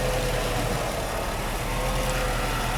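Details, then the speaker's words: 1989 Mercedes W124 300CE-12 M103 engine after fuel distributor overhaul, four new injectors, both fuel pumps, airflow sensor and fuel filter replaced: smooth steady warm idle around 700-800 rpm, no misses or hunting, O2 correcting mixture normally; normal idle. "再来我们来看看它的这个怠速目前大概是在700、800转左右。"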